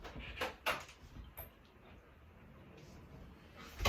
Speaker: two quick squirts each hinge and now we have silence